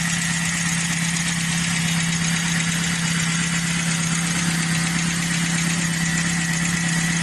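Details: Great Wall 1.5 VVT engine at steady idle with a fast, rough, even ticking knock. The source is unclear; lifters or the alternator are suspected.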